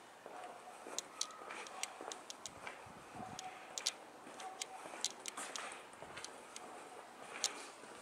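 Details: Sony NEX-5N recording 1080/60p with its internal microphone. Sharp, irregular high-pitched clicks, several per second, over faint hiss: unexplained clicking gets into the camera's own audio.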